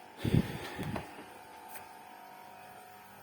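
A few dull bumps, then a quiet, steady low hum from a refrigerator compressor running normally.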